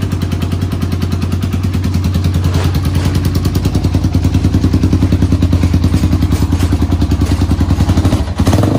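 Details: 1991 Honda TRX250X quad barn find, timed, carburetor refitted, fresh fuel, exhaust leak mostly fixed: even single-cylinder thumping, about three pulses a second, rising smoothly with throttle, no rattle; runs healthy.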